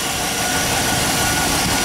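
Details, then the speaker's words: Truck at the farm idling after cleaning a corroded battery terminal/cable with baking soda water: it started much better and the alternator now seems to be charging; steady even idle under hiss, no knocks or misses. "sounds like the alternator is charging now in here pulling okay well that's one problem down"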